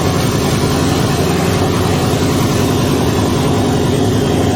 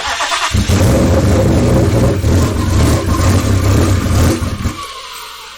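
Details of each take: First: Twin-turbo Ford Mustang build running on a new base tune with no exhaust fitted; loud, steady, deep drone, even and consistent without stumbling. The earlier rough running is gone. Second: Twin-turbo Ford Mustang build, first start, no tune yet, running on E85; catches and runs unevenly with a lumpy, stumbling beat for about four seconds, then dies. Owner suspects oversized injectors making it too rich, possibly the high-pressure pump.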